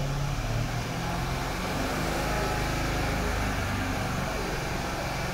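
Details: Mercedes-Benz CLS500, M278 V8, about 230,000 km, after correcting the intake camshaft positions. It starts and idles normally over shop noise with no rattle or stumble, and cam deviation during activation is about 1-2°.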